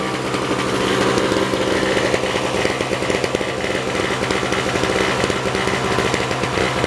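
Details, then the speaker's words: 1970s two-stroke Nova snow blower, possibly 1973, after a spark plug change: steady but ragged, choppy buzz that never smooths out. Rough running; a stuck choke and carburetor adjustment are suspected. "Needs to wake up, I guess. Don't run very well. We'll have to adjust it later."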